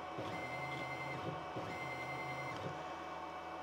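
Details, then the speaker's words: DIY CNC plasma cutter, X-axis stepper motor and driver jogged from the control box on a 24V 21A power supply: clean steady-pitch whine in short jog bursts with no clicking or stalling; stepper running normally. "if I jog that um xais you'll hear it actually you'll hear the stepper motor driver [Music] run and you'll hear you'll see the motor"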